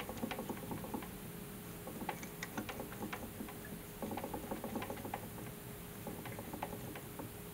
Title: Crank rattling noise